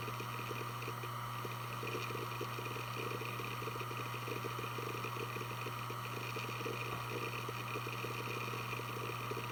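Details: Western Digital Blue WD1600AAJS 160GB 3.5-inch 7200 rpm SATA hard drive, made 2014, only 17 hours, on a USB adapter doing file operations: steady low spindle hum with quick, irregular seek ticking. Healthy, normal spin and seek.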